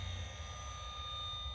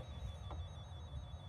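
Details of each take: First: KGZ Z200 automotive circuit probe tester breaker finder: steady high electronic tone with quiet hum, no rising pitch or beeping; normal no-fault sound. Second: KGZ Z200 automotive circuit probe tester breaker finder held near an alarm system wiring: thin steady high-pitched tone over low hum, indicating a loose or broken wire.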